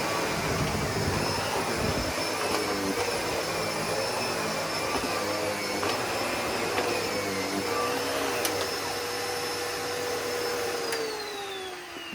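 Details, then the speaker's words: Sebo Felix upright vacuum on a big pile of pet fur: a whining motor under steady suction whose pitch slowly drifts and sags toward the end. The bag is likely full and tightly packed, suction has dropped dramatically and the motor is straining. "now I think the bag is full because the suction has dropped down dramatically and I could hear the motor straining."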